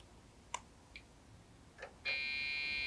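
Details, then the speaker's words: Dell OptiPlex GX520 desktop PC after RAM was reseated: a few faint clicks, then a steady shrill beep from the harsh-sounding PC speaker gives BIOS beep code 3-4, a memory fault; the memory was then reseated again. "oh i spoke too soon three and four i don't know what that means that speaker sounds horrible"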